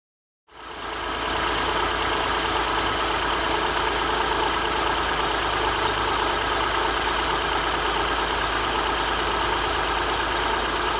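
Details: 2006 Honda Ridgeline V6 idling smoothly with a steady hum and no knock or tick, after a bad timing belt tensioner was found behind the engine noise and the timing belt, water pump and all idler pulleys were replaced.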